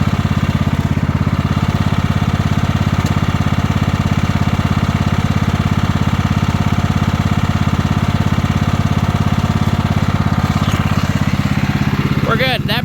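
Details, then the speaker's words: 1998 Kohler Command 16 hp lawn mower engine, slight oil drinker, parked a year, clanky when cold: warmed up, steady, even single-cylinder idle with no knocks, misses or rattles; normal warm idle. "obviously the motor's quiet and down sounds good"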